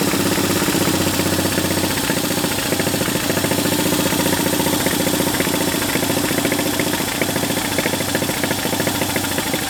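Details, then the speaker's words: Large military-surplus twin-cylinder engine running after a critter nest was blown out of the intake port; loud even pulsing beat at steady idle, no misses, knocks or smoke, idling cleanly. ">> Yeah, man. Sounds good. >> Sounds real good."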